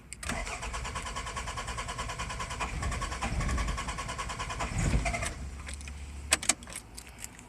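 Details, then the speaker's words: 1992 Toyota Celica GT, 3S-FE engine with 5S-FE parts, new plugs, wires, distributor cap, rotor, battery, starter; coil and igniter tested good but very weak spark: starter churns about three beats a second, faint coughs, never catches even with throttle. "I'm giving it some gas right there, and it still doesn't do jack squat. It wants to go, but it's not going to"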